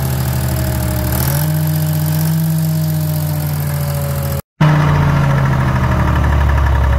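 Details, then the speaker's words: Detroit diesel in a DROTT excavator that sat about 15 years: settles into a steady low rumble, then revs and drops back smoothly with no knocks or misses; the engine runs healthy. "take a listen of this Detroit running"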